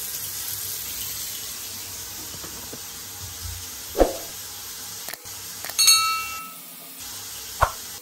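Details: Water running into a sink and draining smoothly with a steady hiss, no gurgling or glugging; normal drain, gurgling otherwise caused by air seeping through a clog or poor venting, fixed with an aerator.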